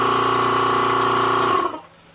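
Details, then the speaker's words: Vacuum pump bagging a 3-inch composite motor tube on the second attempt: steady buzzing drone that winds down and stops after about 1.5 seconds, cycling because the vacuum bag leaks; plugging leaks lengthens the off periods. "as you slowly plug the leaks you kind of know you're gaining by how much time there is in between periods of the vacuum being on"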